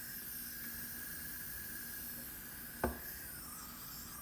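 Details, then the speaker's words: Turbo diverter valve on a pressure test rig, boost raised from about 20 toward 28 psi: steady airy hiss under a faint whistle with one sharp tap. Substantial leak-down past the diverter valve that doesn't change with pressure. "pretty much still the same leak down heading up towards 28 really hasn't changed we've got a good amount of leak here"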